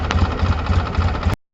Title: Engine knock 2